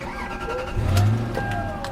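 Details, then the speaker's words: Lexus LX 470 after power steering fluid changed to full synthetic, engine running: thin steady whine over low rumble; alternator recently replaced, so owner suspects the power steering pump, which whined only after the fluid change. "you hear that whine that whining noise definitely coming from that power-steering either that a alternator but they alternator I just replace so sounds like a familiar noise though"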